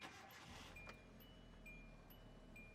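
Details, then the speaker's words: Green Hyundai, car other than the 2009 Hyundai Accent with intermittent long-crank hard-start: quick crank, catches within half a second, settles into quiet even idle; starts normally. "Starts good."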